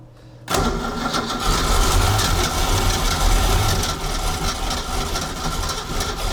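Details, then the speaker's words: 1976 Ski Nautique boat engine, Pertronix D231801 distributor, first start, weak battery boosted: uneven lumpy beat and wavering speed, never settles to steady idle; rough running, needs throttle opened, owner suspects clogged carburetor jets, plans carburetor replacement. "carburetor is off I had to open the throttle to to get it to run so at what it thinks should be idle is not enough um it's probably because some of the the Jets are clogged is my thinking"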